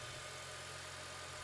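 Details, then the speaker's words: 2006 Acura TSX that had a rough idle and check engine light, after replacing a faulty ignition coil: the petrol engine idles at a steady, smooth, even hum with no misses or stumbles. "If this in fact was the issue, the idle should be very smooth."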